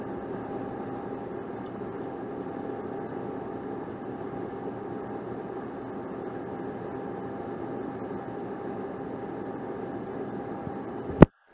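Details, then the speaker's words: ViewSonic PX748 4K projector in silent mode, lavalier mic placed on projector: only a steady, even fan hiss with faint constant tone; the electronic noise heard outside silent mode is gone; running normally. "So if you see, the sound is cleaner. It's only the fan, are not other noises from the projector, which is nice, which is very nice."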